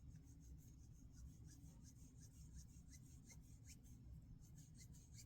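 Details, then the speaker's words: Benchmade Mini Bugout 533 knife with a broken scale, just oiled for gritty feel: a faint fine rasp like a tiny zipper through each blade swing; owner suspects the pivot bearing running over machining lines. "almost sounds like a zipper like a really small zipper I'm guessing that that that's that bearing running across these uh machine lines"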